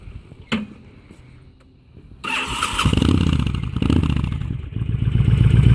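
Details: 2005 Honda VTX with Cobra slip-ons, carb rejetted (DJ200 main jet, needle slot 4) and air intake upgrade, before test drive: catches after short crank, settles into lumpy, loping V-twin idle, no knocks or misses; normal start and idle.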